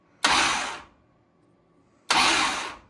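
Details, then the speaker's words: 1993 Toyota pickup 22RE with a newly installed Redline Engine Builders Beast camshaft, brief starter test before first start, little oil in it: two half-second starter bursts turning over evenly, no knocking or clatter; engine spins freely, some oil pressure made. "This isn't the startup, but we're seeing the motor turns and doesn't implode."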